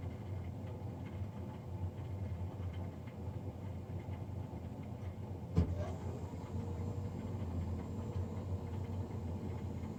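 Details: Navien NCB-240 boiler recorded Feb 3, 2020, three days after a Jan 31 service: steady loud low droning hum, no rhythm, one brief bump partway; combustion fan noticeably too loud.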